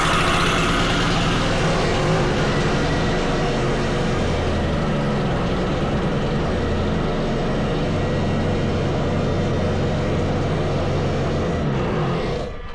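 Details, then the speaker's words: Wacker plate compactor on starting, using a switch borrowed from the owner's other plate: the engine holds a high, steady roar and won't drop to idle, easing only near the end. The throttle had been turned up and the carburettor throttle is sticking open. "D that throttle's been turned up she with racing turn that Throttle Down nice sticky throttle on the car Breer it's not closing down"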